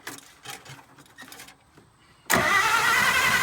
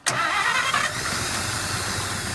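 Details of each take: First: 1951 Pontiac Chieftain straight six, first start attempt in 25+ years: starter turns it over at a steady quick pace for about two seconds without catching; no fire, points suspected of not sparking. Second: 1951 Pontiac Chieftain factory straight six, first start in 25 to 30 years after its points were filed and gas was added: a quick crank, then it catches at once and settles to a steady, even idle with no misses; normal start and idle.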